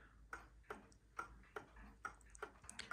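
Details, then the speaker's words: Antique count-wheel kitchen/parlor clock out of beat, timer reading about minus 130 to plus 130 with much overswing: tick-tock near seventy a minute with unevenly spaced, limping ticks; fixed by leveling the clock, removing a shim. "this clock has actually got a lot of overswing so it's still reasonably happy here but it's not quite right and if i stop talking you can hear what that sounds like"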